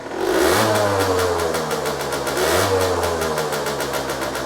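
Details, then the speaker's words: Aprilia SX50 two-stroke bought for a rebuild, starting on the button with no effort: crisp buzzy engine climbs cleanly on each blip and drops back smoothly, healthy; the dash shows coolant and low-oil warning lights and a jumpy speedo. "went to start it up, and it starts on the actual button. Literally no effort whatsoever, and sounds like the classic two-stroke."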